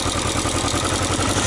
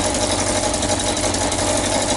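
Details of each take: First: Yamaha XJ900S Diversion motorcycle after straightening a dented exhaust sealing finger that stopped the header sealing; steady, even exhaust pulses at a settled idle, no ticks, knocks or leaks. Normal idle. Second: Yamaha XJ900S Diversion motorcycle at idle; sharp puffing chuff on each firing pulse. First suspected the manifold, but the blow comes from the exhaust pipes at the header joint. Exhaust leak at header joint.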